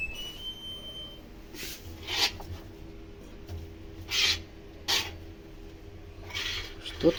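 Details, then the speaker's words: Washing machine during wash: low hum with irregular rasping scrapes, something catching the drum; heater element checked clean, unknown foreign object caught between drum and tub; pump also noisy. "А это что-то Цепляет за барабан"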